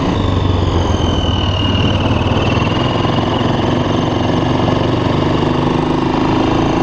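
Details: 2006 Honda TRX400EX Sportrax hybrid build, first ride after heat cycles: a steady single-cylinder thump with a smooth, even beat under light riding load and no rattle or misfire. The engine runs healthy.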